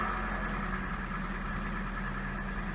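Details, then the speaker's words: Gaia at 425,000 km, just after fuel pump replacement and cleaning to fix jerking and stalling: steady, even idle with a faint high hum and whine from the new pump below; engine running smoothly. "красавица, она бежит как часы. И насос слышен."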